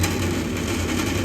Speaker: sounds like it's about to come right off there yeah all right it's pretty obvious we need to get him a new draft inducer